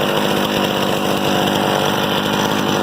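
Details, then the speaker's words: Harbor Freight 67414 two-stroke ice auger, about eight or nine years old, after a replacement aftermarket carburetor was fitted: high, buzzy note holding steady and even, no sputtering or dying; it runs fine after the carb swap. "I was just shocked because it started right up it idles it runs fine"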